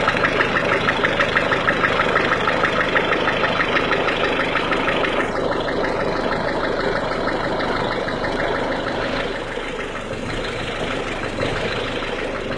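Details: 1.6 HDi diesel engine running cold: a steady, sharp clacking about three times a second over the idle; cause not identified.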